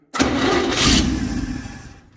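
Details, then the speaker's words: Chevy 283 V8 in a parts truck, cranking on a new starter held by one bolt: short crank with a scraping rub fading as it spins down; the starter hitting the broken shroud, checked and confirmed as the noise. "I think what we're hearing, I think it's hitting this shroud. So it's already broken."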